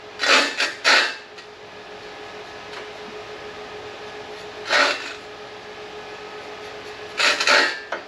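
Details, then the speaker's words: California Trimmer reel mower backlapping: short rasping scrapes in bursts over a faint steady hum as the reel catches the bedknife evenly; reel contacting bedknife normally. "Sounds like success is what it sounds like. Come on now. Alright, fellas. These are about all covered, but you can definitely hear it working."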